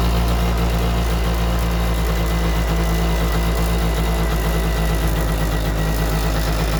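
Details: Yamaha Jog scooter that wouldn't start after winter: steady, even low putter with no misses or knocks; the little two-stroke now idles smoothly on its own.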